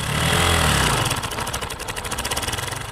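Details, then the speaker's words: Kawasaki motorcycle engine after a brief rev: a fast, regular metallic rattle over the idle from the clutch side. This is cam chain (timing chain) noise, for example from a tensioner fitted with its push rod fully outward, causing chain rubbing. "This is called cam chain or timing chain noise."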